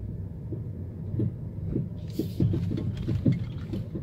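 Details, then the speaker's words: 2011/2012 Mercedes E350 W212 test drive; repeated dull clunks about twice a second over road rumble, loud from the driver side as if something is loose: suspension clunk from loose stabilizer link. "와, 소리 크다. 운전석 쪽에서 소음이 나요. 지금 보시면 오, 장난 아니다. 이게 지금 소리가 그러니까 뭐가 풀린 것처럼 그런 소음이거든요."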